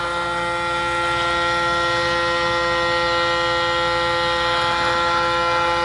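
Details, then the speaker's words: Braun Series 9 PRO+ shaver 6-in-1 cleaning base during automatic self-clean: steady electric whir at fixed tone, pausing and restarting on its own, before a small fan dries the head; normal cycle. "again, it kind of stops and starts. Then you'll hear it kicks a little fan on. It's going to dry that shower or that razor head when it's all done."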